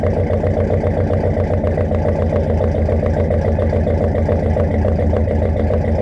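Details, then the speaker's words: 1969 Mercury Monterey, first start in 16 years, running on a little fuel poured in the carburetor and then pulling fuel from the tank, carb not leaking: a steady, even idle with a regular low exhaust pulse and no misses or knocks; normal idle. "it's also pulling fuel from the tank because i only dropped a little bit of fuel in that carburetor and it kept running that whole time this is freaking awesome i'm so happy to hear that this engine runs"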